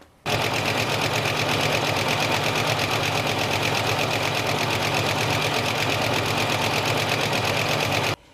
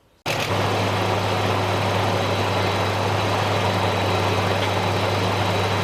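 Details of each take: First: Another owner's engine before an engine treatment: fast, constant light ticking over the engine throughout, the kind of tap often blamed on a lifter; cause suspected, not confirmed. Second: Another owner's engine after a similar engine treatment: smooth steady idle, even low hum with no tapping or ticking; a lot of difference, normal idle.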